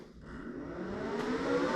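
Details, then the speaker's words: Oneida benchtop dust collector, speed control turned down to the low setting, switched on: motor spins up into a smooth, quiet, even whir with soft airflow, surprisingly quiet; normal running at low speed. "But one, I'm surprised at how quiet it is. It's not very loud. Now this is on the low setting, gets louder."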